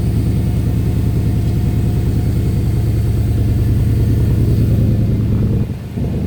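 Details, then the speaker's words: Ford Capri with a Mercedes M113 5.0 V8 swap, cold start on the key after a dead pump was replaced. Deep, steady burble with even firing and a slightly raised cold idle, no knocks or misses; normal cold start idle. "Oh, that's cold start. That's not freaking bad. She fired up on the key as well."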